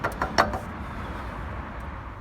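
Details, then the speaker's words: Mazda 3 MPS with a front suspension knock, checked from the pit: a few sharp clunks in quick succession, then quiet road noise; drive shafts (CV joints) suspected of knocking, struts and sway bar links doubted, unconfirmed. "ребятки плохи дела привода похоже стучат"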